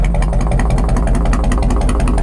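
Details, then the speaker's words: 1997 Harley-Davidson Road King Police restomod V-twin with tune, full exhaust and big-sucker breather, just cold-started; deep, loose, even loping idle, no knocks or misses; normal idle. "Crank it. That's it. That's all it takes."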